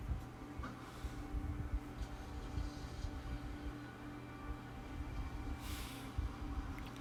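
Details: 9-inch Summer Breeze USB desk fan running on a 5-volt adapter after earlier problems: quiet steady low hum, even tone, no rattles or ticks; normal running.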